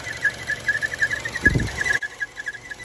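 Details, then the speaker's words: 2014 Chevy Cruze 1.4L turbo: a high, quickly pulsing squeal over the running engine, later found to be the PCV valve. Covering the PCV valve with a finger makes it louder; the fix was replacing the PCV valve/valve cover. "I did not know this at the time but that is actually the PCC yeah PCC vivo that's actually making that noise so a good test if you have that noise put your finger over the PC PVC PCV valve and it will get louder"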